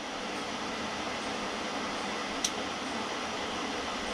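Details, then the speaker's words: Newly installed Webasto Air Top 2000 STC gasoline heater in a ProMaster van; steady blower air rush with no combustion roar after a failed light-up and error flash, fan running on in an apparent cool-down cycle while switched off. "I think usually when it gives you that flash, I think it's one of those airs that you're supposed to turn it off, and now it's still running while it's turned off."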